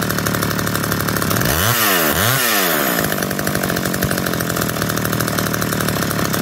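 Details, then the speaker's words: McCulloch Eager Beaver 2.0 chainsaw after rebuild, mixture leaned half a turn and idle speed turned up: a couple of quick throttle blips, then a steady, even buzzing idle that holds without stalling; running fine. "a little more just turning the idle speed up with the world's tiny screwdriver"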